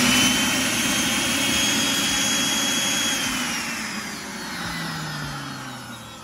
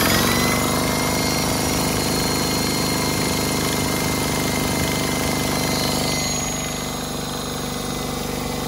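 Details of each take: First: DeWalt D55146 air compressor, 1.6 hp motor: smooth high vacuum-cleaner whir with no pump thumping, then winds down; motor spins but pump not driven, owner suspects broken drive belt. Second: DeWalt D55146 air compressor, 1.6 hp motor, after belt replacement, steady rapid pumping beat about three and a half per second without squeal or slap; normal running, slight air leak noted.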